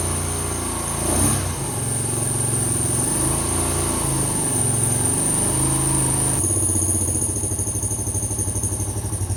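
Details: 1988 Kawasaki KLR650 single after about five years stored in a shed, fuse replaced, spark confirmed; catches and settles into a steady thumping idle with a few blips, running fine after long storage.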